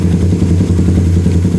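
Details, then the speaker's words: Suzuki Satria Fi150 single-cylinder idle after turning the idle screw near the throttle body to the right (previously only two bars on the tachometer): fast, steady putter at a high even pace, idle now set fairly high. "Bukan pedal gas, tetapi putaran mesin saat idle pada speedometer. Oke, itu cukup tinggi , mungkin"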